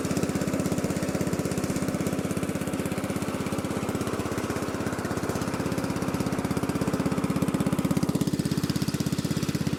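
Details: Lesko walk-behind leaf blower, a curb find with a bad engine, swapped to a Predator engine, after repair: steady single-cylinder putter with even firing at constant speed; running normally.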